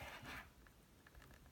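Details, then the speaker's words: Huawei MateBook X Pro touchpad: faint light plastic ticks as the loose touchpad rattles in a small gap even without clicking. The fix is a paper shim slid into the gap. "right I'm not even clicking it's just making that rattling sound right there it feels kind of loose"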